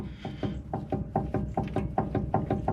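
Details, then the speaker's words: 1986 GMC C1500 two-wheel-drive, caliper removed, front hub rocked by hand: sharp evenly spaced knocks about four a second from play; worn wheel bearing to be replaced. "you can actually hear it that's why we're replacing this wheel bearing is because of the play and the noise this wood bearing is no good anymore"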